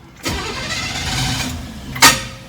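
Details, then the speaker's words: Barn-find 1967 Chevrolet KC10 truck, carbureted engine that had sat a long time and just got a new battery: cranks, catches roughly, stumbles unevenly, then a sharp pop. The carburetor is flooded, giving a hard start, then it idles fine. "Uh-oh. Flooded it. But she sits here and idles, runs good. I think I've gotten so used to non-carbureted cars that it's hard getting back in the saddle on the carburation."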